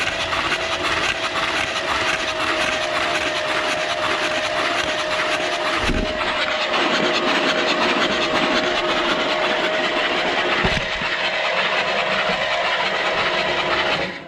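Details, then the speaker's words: Chevy big block 454 pulled from a camper that lay on its side for years, cranked on the starter with the drain plug out before adding oil: even cranking, steady chug on each stroke. Normal compression. "sounds like it's got compression yeah let's uh let's put our drain plug back in right right let's put some oil in it and we'll whirl it over try to get some oil pressure built up in it maybe"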